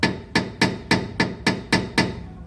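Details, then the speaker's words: Chery Cielo suspension: eight sharp metallic knocks, about three a second, like metal on metal, from a loose right-side anti-roll bar bushing. "sabe o que é é a busca do estabilizador trazer um quilo chega até frouxo"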